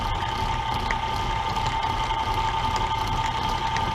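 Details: End mill in a router plunging into oiled aluminum through a 3D printed jig, small patient cuts: high, wavering ringing squeal with uneven buzzing over a steady hum; chatter.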